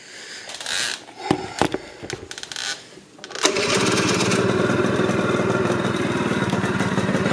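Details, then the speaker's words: 1988 Honda Elite scooter two-stroke: very low uneven sputtering idle, beat sagging as if about to stall; owner thinks idle set too low. "all right that fixed it it's wanting to die right now I've got the idle I think settle all too low"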